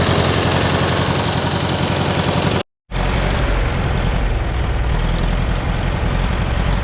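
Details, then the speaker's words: 1968 John Deere 500A diesel loader tractor (industrial 3020), parked over 10 years, just started with ether: uneven lumpy chug and hard clatter at idle; rough, unsettled running, fuel in tank, diesel running down side of block. "kind of doing some funny stuff but I'd take a peek in the fuel tank up here"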